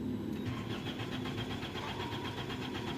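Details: 2003 Toyota Corolla XLi, won't start after clutch plate install, fuel pump motor replaced and full fuel pressure: starter spins the engine evenly about six turns a second but it never catches; injectors lack power from a burnt connector pin.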